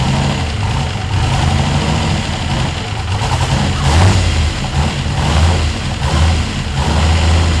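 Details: Ford F100 with swapped turbo LS1 V8 on its first start, restarted: loud, uneven, lumpy, wandering idle with surging level. It runs rough; the owner suspects a vacuum leak or tuning, not confirmed.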